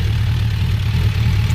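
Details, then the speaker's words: Suzuki Bandit 1200 motorcycle idling: steady, even low idle with soft background clatter from clutch components, no knocks or misses; valves sound healthy, very responsive. Normal idle. "The valves sound really healthy. So, very responsive."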